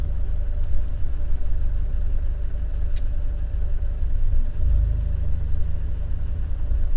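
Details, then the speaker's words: Fiat 124 Spider 1.4L MultiAir turbo with recurring cylinder 4 misfire at idle, restarted after stalling: low even rumble with steady beat, no skips, idling smoothly for now at the shop during data logging. "right on this fire feels smooth this is okay right now yeah right now this is fine to me compared to what I usually feel"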